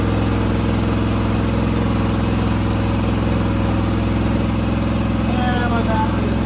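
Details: 1976 John Deere 300 tractor, running after a jump start for a dead battery. Engine holds a steady, even low thrum with no misses or stumbles: running fine.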